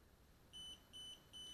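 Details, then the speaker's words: DJI Spark remote controller emits piercing beeps steadily in a quiet room after power-on, with the LED flashing green and red. Constant warning beep, controller fault. "it kind of acquires a signal but it's still beeping so with a green light flashing something is wrong with the controller already"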